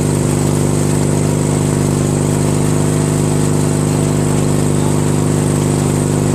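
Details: Craftsman DYT4000 lawn tractor repowered with a 14hp Briggs opposed twin, electric PTO engaged with the mower deck belt removed. Smooth, even low drone at steady speed, no ticking, grinding or squeal. PTO clutch works fine without the deck load.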